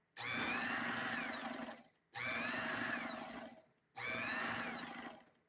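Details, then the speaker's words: Aftermarket sewing machine motor spinning up fast in short bursts with a high hum and some rattle. It gives off a burning odor even in basic operation and keeps running down after power is disconnected; the motor is overheating. "there's a number of things going on with it and like I said even with basic operation it's generating an odor that sounds like it's about to burst into flames"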